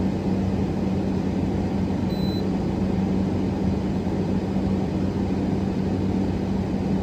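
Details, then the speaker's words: Grandmother's air conditioner at its first startup of the season after annual cleaning (dust swept off). The compressor runs with a steady low hum and even airflow hiss, with no rattles or cycling, as pressures settle. Normal running. "Oh, there we go. She's running. We'll let this run a little bit as I do the other units, and I'll get back to y'all on this. But pressures are settling in here."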